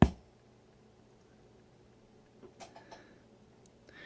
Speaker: yeah you do get a little pop when you turn it on now some people think or annoyed by those turn on clicks those things don't bother me